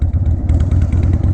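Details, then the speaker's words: 2001 Harley-Davidson 1200cc V-twin, on a road ride: a deep, loud, lumpy thump at steady road speed, firing evenly with no clatter; the owner says it sounds good but is very loud; normal running, just a loud exhaust. "definitely loud probably louder than what my neighbors live I'm willing to bet a million dollars that they don't want to get"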